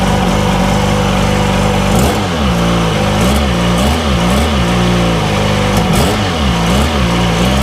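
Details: 2002 Sea-Doo RXDI two-stroke, reinstalled engine on a hose test: runs continuously with a few throttle blips rising and falling, no misses or cutting out, running fine.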